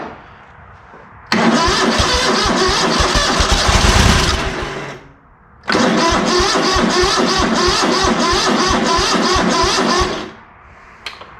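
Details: ZT200 mower after clearing the blocked diaphragm fuel pump inlet, trying on its own fuel with full then half choke: two long cranking bursts, about two chuffs a second, no catch; owner suspects worn carb choke linkages or carb issues.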